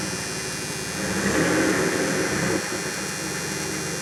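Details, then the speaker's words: 1994 Dodge Dakota after new catalytic converter and Flowmaster exhaust, revved briefly; engine climbs smoothly and settles back to steady idle with a mild, even exhaust rumble; normal revving. "Got a little bit of rumble now to it. So yeah, it's still holding up good."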